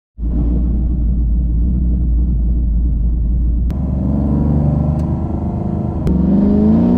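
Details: Engine after new MSD spark plug wires fixed its misfire, during data-log tuning runs: smooth idle, then clean pulls with pitch climbing evenly with revs, no stumble or popping; healthy engine under acceleration.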